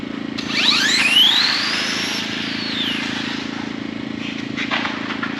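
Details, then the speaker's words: Mid-motor RC drag car testing a 66-foot pass with 5 degrees more timing: the motor's whine shoots up in pitch almost instantly at launch, in a harsh, abrupt hit. It took the timing but the launch was too violent, so the owner plans to reduce point. "It took it, but I think it was pretty violent. I mean, it was pretty violent."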